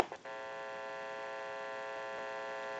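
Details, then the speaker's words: Amplified pickup used in the final checkout of a repaired AE Monophone 40 rotary telephone: constant, even buzz with no crackle or dropouts, like an open mic; this hum is normal amplifier noise, varies with atmospheric noise and is not the phone. "if you hear any kind of hum that's normal it's an amplifier and some nights or some days you'll have more noise in the atmosphere than others and you may hear a little bit of a hum that will be the amplifier"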